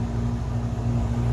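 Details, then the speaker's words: Chevrolet camper AC after freeing the blower; loud steady low hum and constant drone with no rattles or scraping, blowing cold air; blower now running normally. "after a little more persuasion makes a lot of noise holy crap it's blowing cold air"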